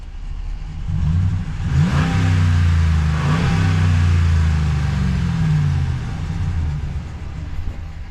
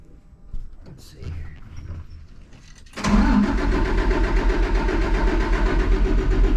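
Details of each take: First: Engine blips up and settles twice, revs rising and falling smoothly with no misfire or knock. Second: Cummins ISC 8.3 diesel, hard starting after sitting, air in fuel: cranks briefly, catches around three seconds, slightly lumpy idle; fuel found wet at weep hole under gear pump, leaking seal suspected of admitting air.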